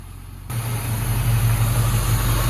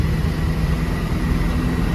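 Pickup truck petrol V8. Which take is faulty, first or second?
second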